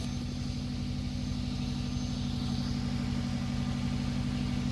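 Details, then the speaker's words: 1998 Subaru GF8 WRX, EJ205 engine, after replacing the in-tank fuel pump (EFP-056, Denso 195130-1270): steady even low idle hum with fast regular pulse, no ticks or misses; pump quiet, no leaks found; normal idle. "let's turn on the ignition now and prime the system see other pump sounds well I tell you what it sounds like a really quiet pump"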